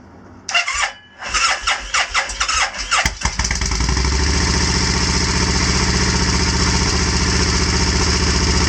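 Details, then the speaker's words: Crashed Kawasaki Vulcan 1500 motorcycle, whose motor was reportedly fine, after a fuel pump prime: several seconds of cranking, then a cold start on choke into a fast, even idle with a steady low beat. It sounded better later without choke. "I hope those lights still come on and the fuse is not broken do everything okay we should he out a fuel pump Prime hey I can hear it maybe some choke fingers really crossed"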